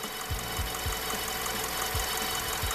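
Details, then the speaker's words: Ford Escape 2.3 Duratec, warm idle after a used cylinder head install: light, uneven knocks about three a second over an otherwise smooth idle; owner suspects the front accessory drive, but it is unconfirmed. "but that noise is that [Music] that front accessory again"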